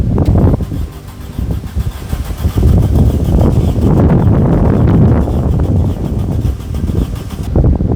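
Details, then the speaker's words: VW Golf that had sat off the road for a long time: starter churns unevenly for several seconds without catching; cranks but no start, spark then rechecked at plug and distributor cap. "the answer is no take spark do out again see if we got Spark"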